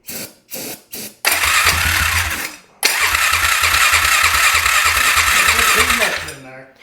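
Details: 2001 Polaris Scrambler 500 2x4 ATV, seller reported no spark, starter fluid sprayed in: starter churns evenly at about three turns a second, but the engine never catches. Likely flooded from too much starting fluid.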